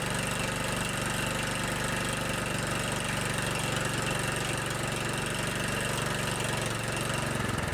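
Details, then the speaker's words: Kohler Command 15 hp engine on a riding lawn tractor, started cold on a chilly morning. After clearing out, it holds a steady, even idle putter with no misses or knocks and runs well. "like kitten it runs pretty good it just needed to clear out a little bit"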